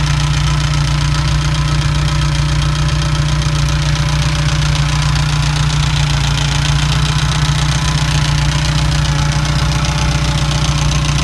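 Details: Ferrari 308 QV V8 at idle: fast, light ticking through the engine sound that developed after a major service and persists after many possible causes were found and fixed.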